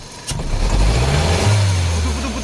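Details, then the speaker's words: Car blipped from idle in Park, lumpy and stumbling with a misfire on cylinder 2 from a failed ignition coil; the car hesitates pulling away and lacks power on hills. "하네요 예 자 몇 번이 문제인가 볼게요 차 떨리네요 떨리고 자 2번 2번 반이 없죠 2번 날아갔네요"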